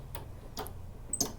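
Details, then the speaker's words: Toro Recycler mower wheel with seized clip, before lubrication: a few sharp dry irregular ticks as the wheel turns, the spring-loaded drive pawl snapping over gear grooves, normal; mechanism not dirty. "so what i wanted to see is if i can hear the clicking of the little gear in there not gear it's uh it's like this little piece that sits on the spring that kind of goes in these little grooves on this gear"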